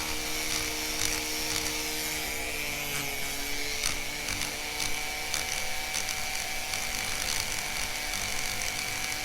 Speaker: the reality is is that it's not spinning in a perfect circle or even a tight enough Circle to not damage stuff can you hear it it Clickety Clacks a little